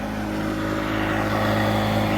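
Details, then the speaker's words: Outboard on DIY skiff (2018 Suzuki listed among motor tests), under load after replacing the bad fuel pump: strong steady drone building slightly and holding without surging; now making full power, fuel pump was the fix. "We're making power now. Woo. Sweet, that's it, that was the fix. Fuel pump was bad."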